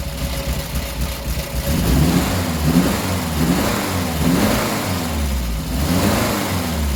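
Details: 1967 Triumph Spitfire MK3 abandoned project, first start-up: lumpy, uneven idle that smooths somewhat when blipped; rough idle needing a tune-up, carbs to be stripped and cleaned.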